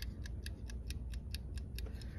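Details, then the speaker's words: Quiet, even ticking of about four per second from a wind-up dial timer switch controlling the water pump in a camper build; the timer is running normally. "I got some timer dial switches, you can hear it ticking."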